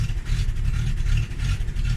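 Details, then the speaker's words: Carbureted Fox-body Mustang cold start: deep, lumpy idle that surges and stumbles unevenly instead of settling, needing rpm held near 1000 until the shake goes away, then it idles well; cause not confirmed. "so when i start it all right as you can see here it's idling very bad so i have to"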